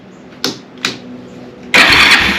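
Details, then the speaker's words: 1987 Kawasaki Bayou 300 four-wheeler that would not start, with choke on and the neutral safety switch bypassed by clipping into the harness: two short cranking bursts, then it catches quickly and runs steadily. A clean start that confirms the neutral safety switch had failed. "but needless to say if I clip that in there and we set our choke that's on well I thought it'd crank it did"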